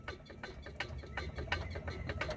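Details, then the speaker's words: 1982 Ford Mustang GT rocked by hand after tightening a loose upper control arm bolt: irregular rubbery squeaks and creaks, no hard metallic knock; normal bushing squeak of a 40-year-old car. "Just regular squeaking and rubber sound. No more hard knock. That control arm is holding steady now."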